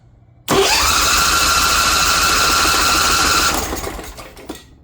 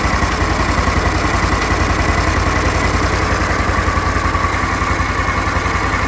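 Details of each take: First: Kawasaki Mule repowered with a Briggs Vanguard engine in place of its blown diesel, choke on, fuel filter pre-filled: the starter spins with an even whir for about three seconds and it never catches; the owner suspects reversed fuel lines. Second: Briggs Vanguard repower in a Kawasaki Mule, restarted to check for earlier smoke, weak battery cables, off the ground: a smooth, regular low putter at steady idle with no knocks, misses or odd noises; it runs good.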